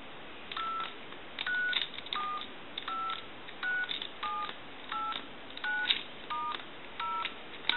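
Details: Duck novelty telephone, dialing through its numbers on the test analyzer: crisp two-pitch touch tones, about a dozen in an even sequence, each clean and steady, so tone dialing works properly.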